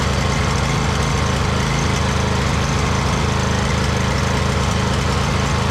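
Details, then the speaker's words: 2008 Husqvarna YTH2242 with a Briggs V-twin, after repairing a bent push rod, with good compression: a steady, even low putter with a firm beat and only a slight surge. The engine runs healthy. "just sorted itself out. Slight surge in there. Not bad though."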